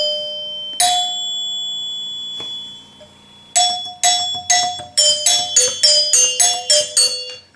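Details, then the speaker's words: 1974 Gottlieb Magnetron EM pinball three-chime unit after rebuild: a few single bell strikes then about a dozen quick ringing hits, each sustaining cleanly with no mechanical clack; healthy chimes. "Just like playing the bells in middle school band. See, they got that sustain to them."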